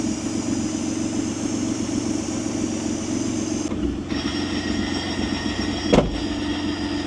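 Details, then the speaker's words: 1993 Acura NSX, 3.5 L stroker twin-turbo engine: steady tick-over with a busy mechanical rattle underneath, the usual twin-disc clutch chatter; normal, nothing wrong. "So, you can hear the clutch making all kinds of noise. Twin disc. Pretty normal for these things."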